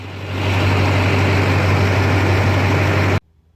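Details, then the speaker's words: Duramax diesel at idle after about an hour running injector cleaner through the injectors. An even, deep hum with soft clatter; it runs smoother with less injector ticking than before cleaning, and the injectors sound healthy. "I can definitely tell a difference in the injector noise he just sounds like it's running smoother now and there's not as much ticking"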